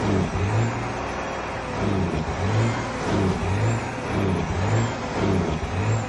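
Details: Detroit 12.7 diesel: deep rumble stumbling in a loping beat about twice a second instead of running even, engine misfire.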